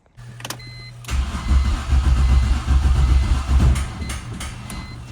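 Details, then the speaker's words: Turbo E46 BMW ZHP after ECU swap, tune with EWS delete just flashed: starter cranks about 2.5 beats a second for nearly three seconds, seems ready to fire but never starts; owner suspects no spark, ignition problem. "It's like it gets ready to fire. It's like it might not be getting spark. I think it's an ignition problem."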